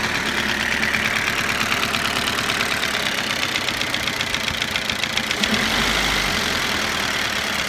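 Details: Toyota Avensis at steady idle after cylinder resleeving, piston ring replacement and timing belt job: a quick, even metallic ticking rides over the engine. Knock present after the rebuild, source not pinned down.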